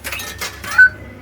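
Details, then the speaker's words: Universal Pacific 8116-A2 Red Bar 5 Coin Multiplier 10-cent poker machine: 10-cent coin gives a few quick metallic clinks dropping through unregistered, then short tone; worn-out coin mechanism rejecting coins. "So yeah, and all these games, okay, all these games have got the same sounds. Hear that? Heck, no, can't get it in the hole."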